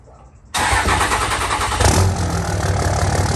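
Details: 5.9 Cummins diesel at start-up after fitting a new muffler-delete pipe section: catches at once into a deep, steady clatter with an even low rumble, no puffing or ticking exhaust leaks, a healthy start.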